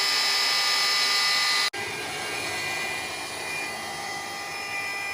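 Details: Maslow M2 CNC router on its first successful cut, not all the way through the plywood: steady high-pitched router whine with a brief dropout, then an even cutting hum; the machine is running smoothly and cutting normally.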